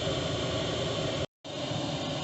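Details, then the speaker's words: Chinese diesel heater in a 1988 Toyota Hiace campervan on full output, display two greens, two yellows, two reds, nearly full heat; steady even roar of burner and blower, clean one-second cut, no surging or popping; running normally. "there we go two greens two yellows two reds it's not putting out full heat yet but it's not far off"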